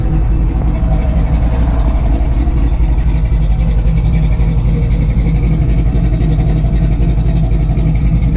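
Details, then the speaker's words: 1963 Chevy Nova, 420 cubic inch small block: deep, steady, even idle with no misses, knocks or hiss; the engine sounds healthy. "oh listen to that thing it sounds"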